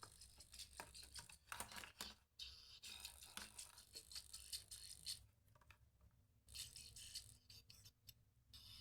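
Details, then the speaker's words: Devera Bluetooth neckband earbud playing music: one side silent, this side quiet, crackly and rattling with almost no bass; fault likely in the speaker wires, and the speaker itself also suspected bad. "इसमें आवाज़ नहीं आ रही। इसमें आवाज़ काफ़ी फटी फटी आ रही है। इसका बेस ख़राब आ रहा है एक्चुअली।"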